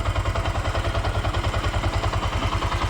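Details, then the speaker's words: Bajaj BS3 single-cylinder engine, rebuilt with a new rebored bore after the earlier overhaul failed and it drank oil; idle tuned and new air filter fitted. Even, steady low thumping at idle with no knocks or rattles, very silent; normal. "ಎಲ್ಲಾ correct ಇದೆ ಯಾವುದೋ door ಗಳು ಅದು ತಗೊಂಡು ಸಿಕ್ಕಾಪಟ್ಟೆ silent ಆಗಿದೆ"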